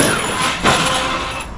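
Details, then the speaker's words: Arrma Outcast 8S 100mph custom RC car: short harsh rasping hiss as it slows, far more aggressive than usual RC braking; owner wonders if it's due to the extra power; cause not confirmed. "I hate that brake. I wonder if it's just because this thing's more powerful, like if the braking sounds like that because of it."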